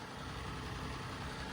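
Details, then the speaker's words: Daihatsu Atrai S230G kei van after head-gasket repair and a bigger intercooler: steady idle with a coarse clattery knock that still sounds like a diesel, cause unclear. Diesel-like engine clatter. "I'm not loving the chrome, and then as you can hear, it still sounds like a diesel, which I'm not too happy about."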